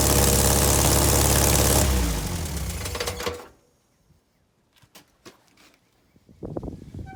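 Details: VW Beetle air-cooled flat-four under restoration, alternator refitted after it smoked: runs evenly about two seconds then switched off and winds down; healthy, though exhaust not fully connected and leaking, no burnt-wire smell.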